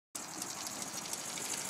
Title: Honda c70 rough idle